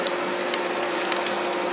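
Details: Dust collector running through new ductwork with a homemade blast gate: steady airy motor whine at constant pitch, no rattles or surging. The collector runs normally.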